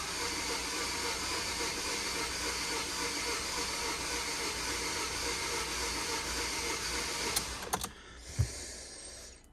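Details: Non-running project vehicle at about 58,200 miles with a nearly full fuel tank: starter spins the engine at an even, fairly quick churn with no firing, then stops; cranks but won't start, owner suspects compression or timing.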